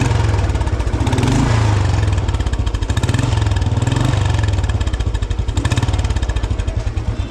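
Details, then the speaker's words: Restored old vintage Royal Enfield Bullet 350 after assembly, major service and tappet setting, Indori mesh silencer fitted: single cylinder thumping evenly at fast idle, deep steady beat, no ticks or knocks, not too loud; normal exhaust note. "Silencer की भी sound काफी अच्छी लग रही है। मतलब बहुत ज्यादा लाउड नहीं है। डिसेंट सी साउंड इसकी निकल कर आई है।"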